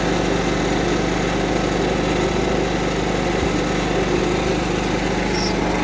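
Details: Cub Cadet 1330 mower Kohler single, first run after long sitting, with a plastic piece removed from the tank outlet; steady, even beat with no misses or knocks; running smoothly.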